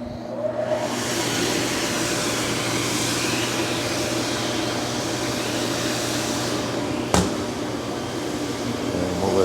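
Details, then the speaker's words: Oven with vacuum on, drying an unpowdered test print for the Ricoma REVEL DTF-2402 DTF printer: steady, even airy whoosh with a low hum and one brief click, no knocks or squeals. Normal running. "I do want to dry it to look at it better so I drop it into the oven I turn on the vacuum"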